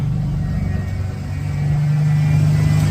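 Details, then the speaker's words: 1991 Ford Bronco V8 under restoration, timing set at 10° BTDC: steady deep rumble idling slightly high with no load; owner suspects a slight vacuum leak. "I've got it pretty much set on right said that right dead on at 10° uh before top dead center um sounds pretty good uh seems to be idling just a little high"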